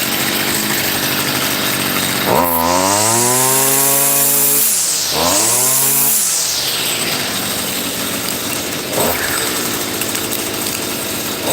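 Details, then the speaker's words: Stihl FS55R brush cutter bought from a pawn shop, started after a no-start repair: it catches on the pull, revs up cleanly twice with a rising whine, then settles to a steady idle. Normal running. "Guys, I'm so happy that it works. Excellent, excellent, excellent."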